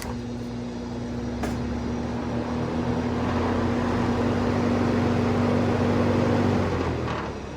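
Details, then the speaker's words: Vintage Sears box fan on high: constant low buzzing hum under air rush; motor warm after short run, owner plans to clean and oil motor, possibly bad motor or switch, unconfirmed. "I'll have to pull that motor apart and clean it, but based on the amount of hum that it has, even on high, you start it off on high here and you can hear it. I don't know if I like all that noise."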